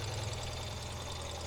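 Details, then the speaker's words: 2024 Ural Gear Up Ember Flame Expedition sidecar twin, fuel-injected, started with a tap of the starter after fuel pump prime: even, low pulsing idle with no knocks or misses; normal cold idle. "And all we have to do is tap the starter. Starts right up. Thanks to that fuel injection."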